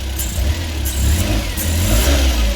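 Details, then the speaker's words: Suzuki Carry truck, freshly rebuilt engine just reinstalled and first started, no coolant yet: raised, surging idle with deep pulsing throb, caused by two open vacuum lines leaking air; runs perfectly once they're blocked. "I got to find out why that throttle is so high so we'll dig into that okay found out what the problem is see these two vacuum lines right here that are open"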